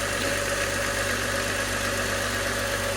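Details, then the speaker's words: 1998 Mk3 Jetta VR6 12v after changing to ruthenium HX spark plugs to fix a rough cold start: steady, even idle with a smooth hum, no misfires or hunting after a rev; it previously bogged at high revs. "no misfires nice idle it's a successful parkour change"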